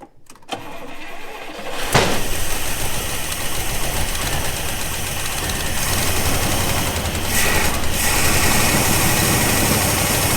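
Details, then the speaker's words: Abandoned 1974 International D150 pickup, IH 345 V8, after a replacement spark plug wire: cranks, catches, then lumpy stumbling idle, misfiring and rough; cause unconfirmed, no accelerator pump squirt from the carb, full tune-up hoped to help. "We've got some issues here. Maybe a full tune-up will get us going a little bit better."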